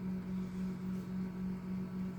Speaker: So, if you want to test your turner, you hit up. And that'll turn your turners on, so you can just see. I don't know if you can hear that like grinding noise, but that's the gears.